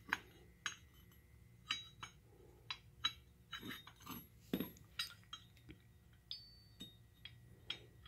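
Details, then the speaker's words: Lawn mower blade adapter rocked by hand during inspection: light metallic clinks in irregular bursts as it moves back and forth on the key; this slight free play is normal and desired. "you hear that what's moving back and forth that's what you want"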